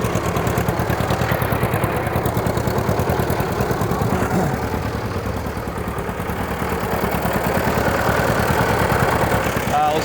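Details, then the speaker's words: 1940 Minneapolis-Moline RTU tractor after new plugs, fluids and wiring strip, tow/kick started with cut-off switch fixed: even, steady idle, about two exhaust pulses per second, no misses or knocks; oil pressure above 40, running smooth. "So it starts up just fine, but it's kick started. You hear it's running very smooth."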